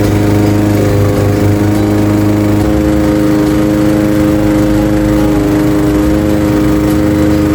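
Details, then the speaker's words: Craftsman 21-inch mower with 5.5 hp Honda GCV160 engine, mowing grass at cutting height level two after the fix: loud, steady, even drone under load with no misfire or surging; healthy, technically nothing was wrong. "Not bad at all. A simple fix. absolutely simple fix because there was technically nothing wrong with it."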